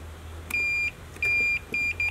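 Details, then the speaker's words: Multimeter set to continuity, testing the wiring of a restored Mitsuba horn from a 1965 Honda S600: four sharp high beeps, two long and two short, as the probes touch; that wiring section is continuous. "so i've got the multimeter here it's set to continuity so when there's a connection it beeps hopefully you can hear that"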